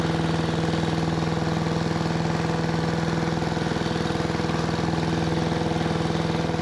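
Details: 1973 Giant Vac walk-behind leaf blower with a Briggs and Stratton single-cylinder engine that appeared seized; steady even beat with no climb in pitch, still not reaching full throttle.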